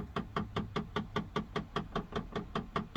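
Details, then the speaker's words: 2014 Dodge Grand Caravan rear temperature blend door actuator knocking steadily about 2.5 times a second on startup, temperature stuck on warm; stuck blend door, actuator most likely failed and to be replaced. "this is the noise i am getting and this pretty much means that the blend door are stuck and most likely the blank door actuator is the problem"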